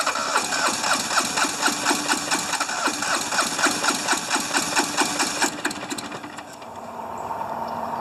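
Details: Hinomoto diesel tractor, once stuck, cold at about 40s °F: an uneven, lumpy chug with one cylinder pulling harder than the other. Owner suspects bad injectors, low compression or half-working glow plugs.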